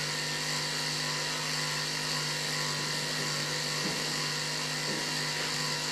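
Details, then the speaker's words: Transfer pump draining a Ford Super Duty diesel aftermarket fuel tank through a long, unprimed hydraulic hose: steady motor drone under a hissy, airy rush with no load change; pump sucking air until the pickup reaches fuel. "Hose is a little long, so it's just going to take a little extra time. I could have primed the hose with a little fuel first, but should go. Sounds like it's sucking air"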